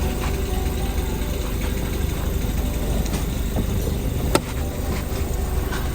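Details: 2020 Range Rover Evoque L551, AJ20P4 2.0-litre petrol, after misfire repair with defective spark plug found: steady, even low idle with no stumble or skipped beats; misfire code no longer present, engine runs smoothly.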